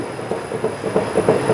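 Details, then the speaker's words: Fiat Uno front suspension shaken by hand: hollow, rattly knocks about three times a second, noise felt across the car while driving; from a worn strut mount and suspension joints. "o barulho que ele faz esse barulho é andar no carro todo tá mora na traseira uma hora na frente"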